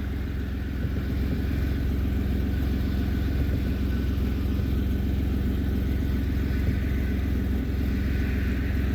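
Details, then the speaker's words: 2008 Pontiac G6 3.5 after new aluminum power steering pump, still breaking in and bleeding air: smooth low idle while steering, no screech or whine; far quieter than old pump, normal power steering. "Lot better. A lot better."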